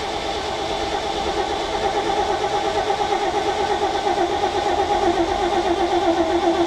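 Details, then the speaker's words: Ford F750 haul truck, stock engine, possibly old bad gas, choke linkage stuck; steady starter churning about four beats a second, never fires; cranking no-start, not getting fuel. "And the second thing that we kind of realized is it really wasn't getting gas."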